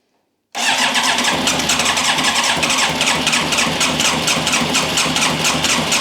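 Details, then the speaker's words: Yamaha YZF1000R Thunderace rebuild, abandoned 20+ years: starter spins engine in even quick pulses about five seconds, never fires; fuel starvation, fuel tap found blocked under compressed-air test. "Mom something's not right I'm thinking that fuel tap or something is occurring that is preventing the bike from getting the fuel no fuel"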